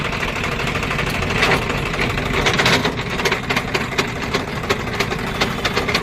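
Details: Swaraj 744 FE tractor diesel running with the rotavator engaged, after a stone jammed the rotavator and stopped it: rough rattling clatter and sharp irregular clicks from the gearbox.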